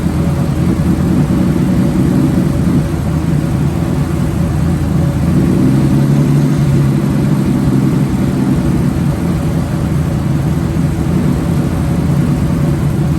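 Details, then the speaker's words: Ford Bronco II with ongoing running problems, owner suspects someone adjusted the idle and plans to back it off: fast, steady idle with low throb and slight unevenness, sitting too high; high idle, cause not confirmed. "So we might try to back that off and see if the idle goes down a little bit. See if that doesn't help."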